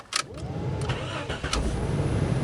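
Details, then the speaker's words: Dodge/Jeep after replacing the ignition switch, whose plate had a chipped corner and caused a no-crank: a few quick cranking bursts, then the engine catches and settles into a smooth, even idle; fixed, starts normally. "got her fixed it fixed it runs good all right thumbs up everybody"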